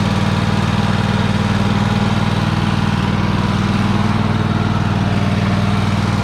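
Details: Free Troy-Bilt riding mower, started with help while the carb shut-off solenoid clicks, needing a solenoid: low, even twin thrum at steady speed, no knocks or misses, running healthy. It moves in reverse, though the belt smells burning and is possibly the wrong belt.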